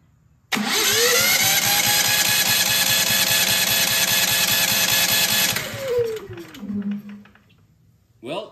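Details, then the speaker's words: Genmax GM9000iED generator, new spark plug just fitted, starter whirs steadily about five seconds then winds down without catching: cranks but no start; a metal plate was then found sticking out of the opened air filter. "we put this back and I try to start the generator and I had the same problem again didn't start"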